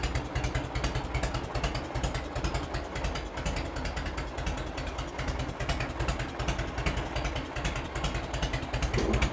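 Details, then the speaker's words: 1986 Harley-Davidson Heritage Softail with 29,000 original miles, first start in over 10 years after carb cleaning, not yet warmed up: a steady, even loping idle with no knocks, misses or rattles; normal idle. "she's gonna smoke after she warms up a bit here but let's see what we get now on killer oh that's a good sound right there"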